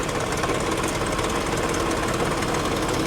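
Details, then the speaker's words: Car at a Copart salvage lot idling with a loud, busy, uneven rattling clatter, possibly from the front of the motor; timing chain or cooling fan suspected, cause unclear. "like timing chain maybe like it could be this cooling fan right here man it's hard to say it's real hard to say"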